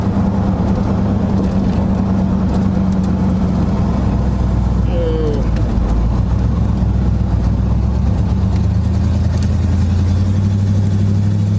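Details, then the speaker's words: 1976 GMC Sprint on its first test drive in 15 years, after brake work: steady deep engine drone under road noise, pulling evenly with no knocks, misses or rattles; engine and transmission sound healthy. "Oh, motor sounds good though. In her a little bit. Oh yeah. Come on, baby."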